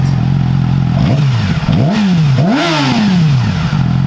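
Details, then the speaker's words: Yamaha R6 with Yoshimura exhaust, spark arrestor/dB silencer removed (straight-through), warm engine free revving: crisp revs sweeping up and dropping back cleanly, sharp poppy sound, poppier than before; normal revving. "definitely definitely a bit poppier than before"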